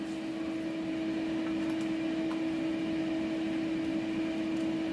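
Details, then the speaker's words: Newly bought welder, using food-grade CO2 gas, with built-in cooling fan running; constant even hum with clear steady tone and airy rush, no rattle or wobble; cooling fan running normally. "der lüfter gut ist es wenn man hört ihn klar aber ist mir ehrlich gesagt völlig latte"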